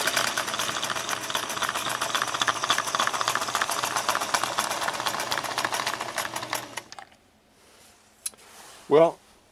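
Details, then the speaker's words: Singer 401A sewing machine in for motor and gear work, running with lid off: fast clattering mechanism with an irregular rattling tick for about seven seconds before stopping; running rough, not as it should. "i'm guessing you can probably hear through the camera but that is not running like it's supposed to be running uh not even close"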